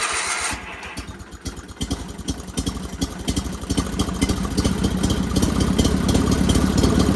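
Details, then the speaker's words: Sears GT 19.9 garden tractor, first start after sitting about 2 years: just after starting, the idle pulses unevenly at about three beats a second and slowly builds; rough idle. "Give her a shot again. Somebody's not very happy. She's not happy."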